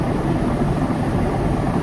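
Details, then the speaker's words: IFB front-load washing machine on full spin: deep, steady rumble with rattling from a failed drum bearing; drum spider also looks broken; bearing and drum to be replaced. "तो इसकी bearing ख़राब होने के कारण हो सकता है। इसमें सील ख़राब हो जाती है तो पानी बाहर की साइड निकलने लगता है, तो इसके कारण ही बैरिंग ख़राब हो जाती है।"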